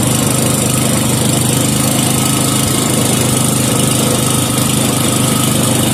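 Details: 5hp Briggs and Stratton with gear reduction, warming up after a no-choke start: steady even thump at fast governed speed, no misses or surges; small engine running clean and healthy.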